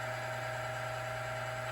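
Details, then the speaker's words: Lubricity test machine: after a flat spot formed the noise went away, weights added around five to seven pounds, later 11 pounds with a small wear mark; steady low hum, faint even whirr, no scraping; normal running under load. "let's let that noise go away so it created a little flat spot so the lubricants in there now doing its job"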